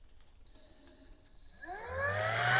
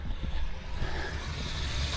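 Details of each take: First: Water pump transferring rainwater through a long hose at an off-grid cabin in freezing weather spins up and settles to a steady, unchanging hum and whine as it jams against the blocked hose; ice was found in the line, and a discharge plug is also suspected. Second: Off-grid rainwater transfer pump moving water to the cabin tank, rated about 25 gallons per minute: steady low drone with an even churn, no knocks or surges, strong healthy flow.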